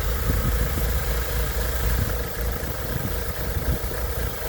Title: BMW Z3 1.9 M44 vacuum leak